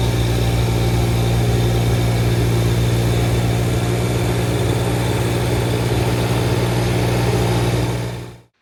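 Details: Kubota BX1850 diesel tractor after replacing both fuel filters (had low idle and sputtering) and bleeding air: low even diesel rumble constant at idle, no stumbling or sputter until shutdown; healthy.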